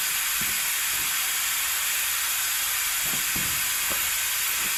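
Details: Vacuum extractor pulling hydraulic fluid from a John Deere 110TLB at 4100 hours during a hydraulic oil change: constant airy hiss with a few faint gurgles as fluid is drawn through; pulling steadily, working fine.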